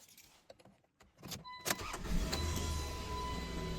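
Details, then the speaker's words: Customer's car with crank no-start and no idle after battery reconnect, after replacing the faulty idle air control (IAC) sensor: starter whir, engine catches quickly and settles to a steady even idle with no stumble; fixed, running fine. "So, we fixed the customer's no idle issue. It was just the intake air sensor. It went bad, so I replaced it and she's running fine now."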